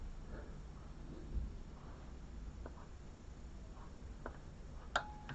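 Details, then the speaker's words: Noco Boost Genius jump starter after repair of its non-working boost circuit: a quiet room, then one sharp click as boost is activated; the relay now switches properly. "and we are at Clear audible click of the relay being activated let's try it out again so then I'll go off back on activate the Boost and again we hear that relay clicking"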